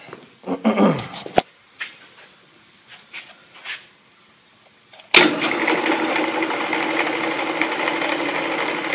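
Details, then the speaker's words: Delta 28-303 wood/metal bandsaw under restoration, test run after rewiring and refitting the lower box and cover: handling knocks, then a clean motor start settling into an even, steady hum, no grinding. Normal running. "Pretty good. Starting to have ourselves a bandsaw."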